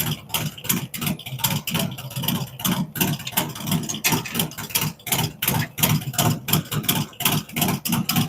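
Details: Freshly built V-twin with a 468 cam, adjustable pushrods, aluminum intake, 5.3 injectors and Thunderx headers: a lumpy, loping idle at about three pulses a second, consistent with no misses or tapping; normal idle.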